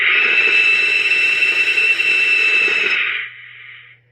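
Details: Taiwanese-made Cobra 148 GTL CB radio with odd modifications, sideband receive: loud steady high-pitched squeal with faint flutter for three seconds then cuts off; cause suspected related to AM noise, not confirmed.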